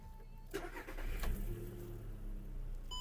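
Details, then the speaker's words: 2008 VW Golf 5, 1.6 MPI petrol, 198,000 km. Starter turns briefly, then it catches into a quiet, even idle with no stumble, no smoke and no misfire. Healthy start. "не димить не троїть Мотор працює тихо рівно"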